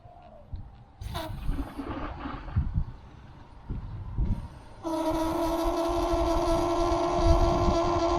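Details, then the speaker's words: Very old outdoor garden water tap: once water flows, a steady mid-pitched hum with buzzy overtones starts and holds, not hammering; the old vacuum breaker has failed and is replaced with a new DURA unit. "the humming starts and the source of humming is this water vacuum breaker. It is now faulty."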